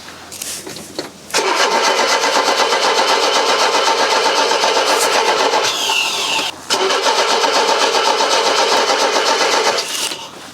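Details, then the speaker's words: Mercedes W123 sat unused for a long time: starter cranks steadily about four beats a second, short pause, never fires despite petrol smell; owner suspects stale fuel in the tank, plans fresh fuel. "I did can smell a bit petrol why aren't you firing you this is taking me back to the bad old days of this car"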